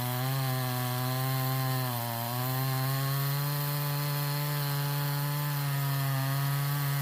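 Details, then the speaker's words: Stihl 026 chainsaw, owner reports pop or miss on the high side when hot or pushed hard: screams steadily through the cut, then sags and stumbles as it's pulled up; misfire under load, suspected wire grounding out or failing coil. "Okay, I don't know if you guys heard that, but that last little bit when I pulled up on it, you could hear it missing. So I'm guessing there's a wire somewhere maybe grounding out."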